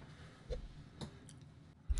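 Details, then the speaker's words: ANENG V05B multimeter in auto mode during voltage tests: a handful of sharp, quiet clicks at irregular intervals over near silence from the range relay switching as it autoranges. "now this is one of the interesting issues with this meter you can hear that relay clicking that is um going to be happening a lot when you're in auto mode"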